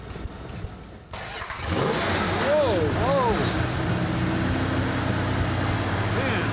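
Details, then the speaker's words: Original-owner 1968 Dodge Charger R/T V8 after checking fuel was pumping: catches after about a second of cranking and settles into a steady, even idle with no misfire; runs healthy, 60 psi oil pressure at idle. "It's kind of hard to miss, huh? Sounds good. Maybe rattled. Sounds really good. Very nice."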